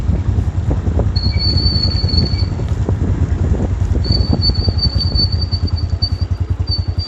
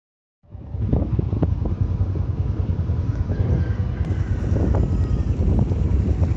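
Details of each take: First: Motorcycle drum brake after riding in the rain: a high, thin squeal near 4 kHz comes and goes over the wheel rumble as it slows. The cause is wet brake dust paste on the drum shoes, and the fix is to remove the wheel and clean out the dust. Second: Motorcycle drum brake after cleaning noise caused by rain, springs lubricated and axle greased: low, steady rolling rumble with some wind and no squeal or scraping as the wheel turns; the drum brake now runs quiet.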